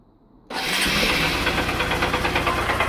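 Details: 2013 Honda CBF 125, 15,000 miles, oil level fine: engine starts and idles with a steady, sharp knock about three times a second, traced to a tiny crack in the clutch basket ring gear.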